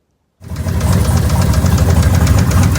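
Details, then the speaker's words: Boosted hot rod engine on a hard pull during the Hot Rod Power Tour near St. Louis: a heavy, regular knocking at about three per second starts suddenly; deep internal engine knock, the engine popped something, cause not yet known. "and it was all going good until right there and that is when this started"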